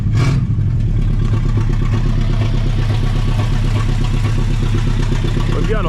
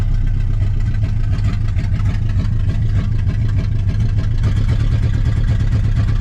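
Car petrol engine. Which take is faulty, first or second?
first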